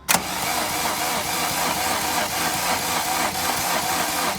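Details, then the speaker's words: MK2 VW Golf GTD diesel after six years stood, ignition barrel, battery and glow plug fuse replaced: starter spins engine at steady even beat but never fires; no fuel coming down injector lines, air in fuel system. "so here it is the gcd engine after we change ignition the only thing we could get it to do was turn over and there was no fuel coming down these lines here there was nothing"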